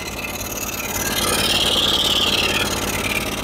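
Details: Cummins Onan QG5500 gas RV generator with new plugs and air filter running rough, surging, backfiring and not producing power (flashing light); the cause turned out to be a broken brush block.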